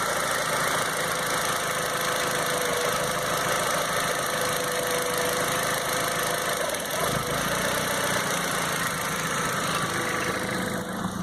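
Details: 2001 Volkswagen Jetta 1.8T turbo petrol engine idling with a slightly uneven, stumbling beat; rough idle, owner unsure whether it is a misfire.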